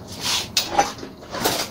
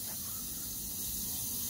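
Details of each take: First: Oilless low-noise air compressor, test after repairing an air leak and resealing parts: after some clatter, motor settles into steady even drone with low hum, no knocks or hiss; pressure rises properly; normal running. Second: Oilless low-noise air compressor, motor off: faint steady hiss of air escaping at the aluminium-alloy coupler fitting, cracked from overtightening while replacing the coupler; switch assembly needs replacing.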